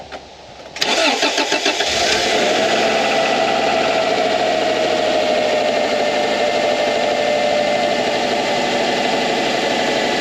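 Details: Subaru EJ 2.2L/2.5L after alternator replacement and battery reconnection: quick crank, clean catch and a steady, even idle with no knocks, squeals or misses; charging voltage rises from 12.9 V to 14.4 V, normal start and running.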